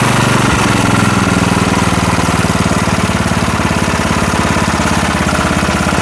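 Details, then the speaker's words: Small engine on a $20 garage-find rototiller, started on choke after the carburetor was reinstalled. A quick, even putter holding a steady beat without stumbling or hunting. Now running smoothly. "Yeah, that sounds a lot better already, don't it? Nice and smooth now."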